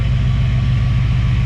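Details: Chevrolet Caprice V8 idling smoothly and evenly with no tapping or misses after a new distributor cap, rotor and water pump; plugs and wires unchanged. The owner had suspected a lifter failure or bent pushrod but now thinks cap and rotor buildup caused it.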